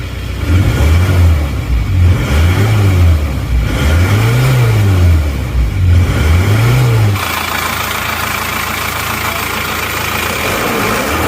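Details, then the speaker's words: Isuzu Panther diesel with replacement used block, previously rough, uneven and smoky: revs rise and fall with harsh, uneven clatter, rougher than other Panthers, engine shaking at low rpm, thick smoke. "emang agak kasar dibanding dengan mobil-mobil Panther yang lainnya ya Jadi kalau kita bandingkan ini suaranya lebih kasar"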